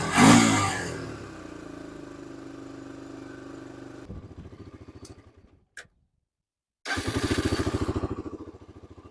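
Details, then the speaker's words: 2002 Honda TRX300EX single-cylinder quad warming up, choke off after draining and refilling gas; quick rev dropping back to a steady, even idle thump with no stumbling; idle good, engine healthy. "Now that idle's good too, right there. Sounds pretty good."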